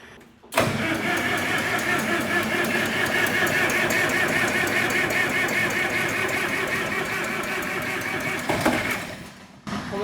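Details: Old, cheaply bought hay equipment engine after a leak repair, not primed: the starter churns steadily for about eight seconds, the engine nearly fires but never catches. Cause suspected, not confirmed.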